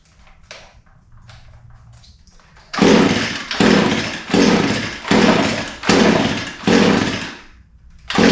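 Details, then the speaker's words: Echo SRM 225 line trimmer with fuel in the tank, primer pumped, choke on and switch on: about six sharp pulls, roughly one a second, fade out without catching. It smells flooded. "smells flooded I would have expected it to start by now but it smells flooded so going to pull it a few more times see what happens"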